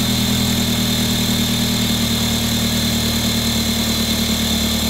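Steady idle after a cold start with a thin high whistle riding over the engine, a screech whose source can't be pinned down.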